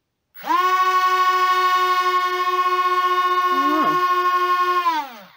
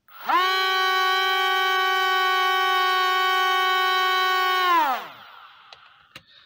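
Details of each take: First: C-17 Globemaster III RC plane motors, compared with another plane fitted with a new computer board: spin up to a high steady whine, hold an even pitch, wind down cleanly; propellers never balanced. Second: C-17 Globemaster III RC plane (first of two), new control board fitted, still lacking lift: steady high electric motor whine at even pitch for about four seconds, then winds down; underpowered, owner suspects propeller wires.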